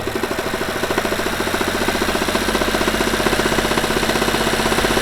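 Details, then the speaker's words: Seat Mii petrol engine held around 3000 rpm: fast metallic clacking from the engine bay, rpm-dependent, absent at idle and disappearing at a certain rpm when driving, especially under load. "also wir haben einen drehzahl abhängiges klackern aus dem motorraum das im leerlauf nicht stattfindet und auch auf einer gewissen drehzahl beim fahren vor allem unter last weg geht"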